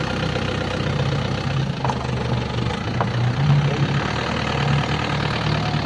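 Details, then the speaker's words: 2007 Isuzu Crosswind XT after its EGR was cleaned for the first time in 20 years and everything reinstalled: steady even idle with low smooth beat, no knocks or misses; engine sound seemed to become finer; normal idle. "Parang pumini tunog ano?"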